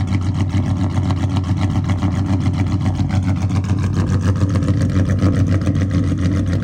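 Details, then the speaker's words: Dodge Charger SRT8 426 Hemi with big cam; deep steady choppy loping idle, even and strong with no misses or blow-by; normal idle. "spitting this engine sounds so [Music] good no blow by baby it's a good running engine right [Music] here it's a good running [Music] engine"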